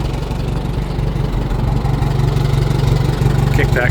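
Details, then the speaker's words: 1949 J.I. Case LA tractor, engine made a little over 60 hp on a dyno: low, steady, even thump at about three beats a second; normal idle, good running engine. "You can kind of hear that gear noise now. Goes away completely. Starts as soon as you bring it back up. It's a really good running engine."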